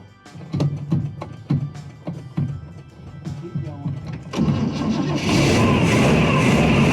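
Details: Small block Chevy V8 in the Church Bus starting on a new mechanical fuel pump fed from a temporary tank under the hood through aluminum fuel line: catches and settles into a steady, even run; runs fine for now.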